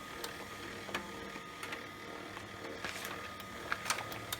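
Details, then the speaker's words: HP LaserJet 1200 after lubricating the laser scanner to cure a loud squeal; the printer runs with only light mechanism clicks and no squeal while making copies. Normal operation. "but seems like it's working so far that noise is gone and made some copies"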